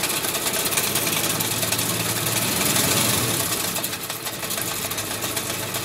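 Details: Willys MB Jeep at idle: fast, uneven light rattle about four per second on the engine note, from the clutch.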